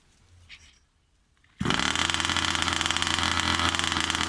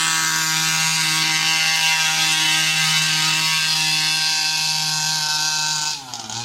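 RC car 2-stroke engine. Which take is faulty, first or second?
second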